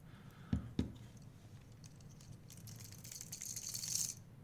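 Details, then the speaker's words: Piscifun Alijoz 300 reel after teardown and maintenance, drag set extremely loose: two clicks, then a light fast rattle and rising hiss as mono peels off; just mono slapping through, normal. "and again the the noise you hear is literally the mono just slapping as it comes through"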